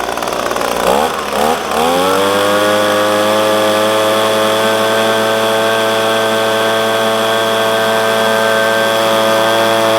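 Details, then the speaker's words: Echo PB250LN handheld blower, warm, full tank, at full throttle after replacing air filter, fuel filter and spark plug (tune-up kit) to cure bogging when hot: rises quickly to a steady high buzz without sagging; bogging fixed. "after doing the air filter the fuel filter and the spark plug I have alleviated my problem I actually ran it for about 10 minutes just to make sure before I recorded that"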